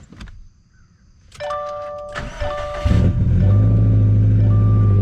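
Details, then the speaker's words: 2017 Subaru STI (VA, 400whp build), repaired, morning cold start the day after its data log came back spot on: brief starter whir, catches in about three seconds and settles into a steady, even fast idle; clean cold start. "little cold start, I should say."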